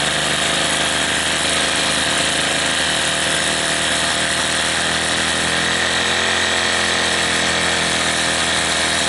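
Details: Troy-Bilt TB32 EC two-stroke trimmer after carburetor replacement, mixture screws a quarter turn out, running smoothly at a steady high buzz without surging or bogging; normal running.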